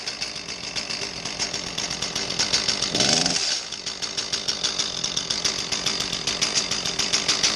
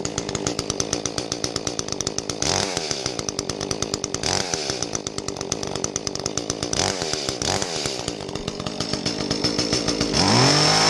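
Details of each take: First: Echo CS-310 small two-stroke chainsaw revving before repair with a dull, choked exhaust note and little power, as if talking through a mask; the cause is a carbon-plugged spark arrestor screen in the muffler. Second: Echo CS-310 small two-stroke chainsaw after the plugged spark arrestor screen was cleared and the muffler bolted back on: it runs crisp and even with a fast, steady buzz and a clean exhaust bark, breathing freely.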